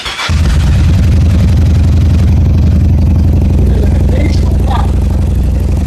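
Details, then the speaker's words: Yamaha XVS1100 V-twin with restricted carburetor jets: low lumpy running that misses beats, occasional pops, not firing every revolution, and bogs when throttle opens; too little fuel for the added air, fuel starvation. "opening the throttle up introduces more air and there's not nearly enough fuel to compensate and so it just falls on its face so those are the symptoms that are typical of a restricted metering system in the carbonator"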